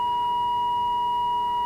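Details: AWA 509M radio during oscillator alignment at 1,500 kc: a pure, steady tone of about 1 kHz with a quiet background while the set receives the alignment test signal.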